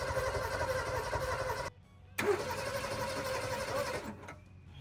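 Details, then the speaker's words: 1962 Ford Falcon revived after sitting since 1982: steady starter cranking that pauses then resumes, engine never catches; cranks but won't start, ignition coil judged dead. "Coil's dead."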